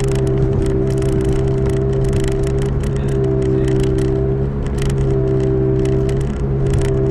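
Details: 2005 Toyota Matrix AWD, camera in back at speed: steady low even-pitch howl under road noise; owner suspects a rear wheel bearing, driver or passenger side uncertain, both already replaced once; unconfirmed.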